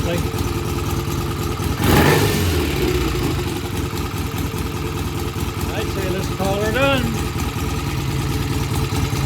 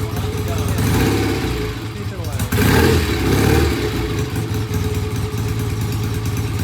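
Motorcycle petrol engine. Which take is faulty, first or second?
second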